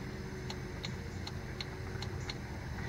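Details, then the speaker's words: 1997 Ford Escort automatic transmission, shift solenoid (upper left facing front) energized manually from battery positive during P1744/P0748 diagnosis; sharp crisp clicks about every third of a second over quiet hum; normal solenoid click. "we're going to touch and then we'll hear a clicking noise you hear that and I try to move my hand other ways you can see that's the cell annoyed clicking"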